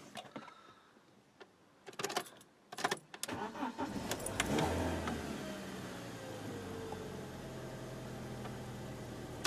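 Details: BMW E46 that cranked but wouldn't start, with no fuel pump noise: after fitting a new fuse in the under-bonnet fuse box, it cranks briefly, catches quickly and settles into a smooth, steady idle. The start is healthy.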